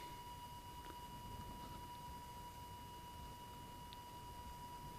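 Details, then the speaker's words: Minelab Eureka Gold metal detector, with sensitivity backed off to a stable level for the ground: steady, rhythmic threshold tone with no drift or wobble over a quiet hiss; properly set, stable threshold. "when you've got your headphones on and you're getting ready to go listen to the threshold because your threshold when properly set will always be a rhythmic sound"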